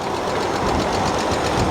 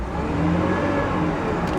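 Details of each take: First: 2003 Hyundai Sonata, sat a long time with no coolant and dead battery: light, quick persistent ticking over a rough idle; top-end tapping, suspected lifters or valve lash adjusters, timing belt possibly never replaced, unconfirmed. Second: 2003 Hyundai Sonata at about 146,000 miles, long-sitting auction car with no coolant: short throttle blip that rises and falls cleanly, with no knock, rattle or misfire; engine sounds healthy, normal rev.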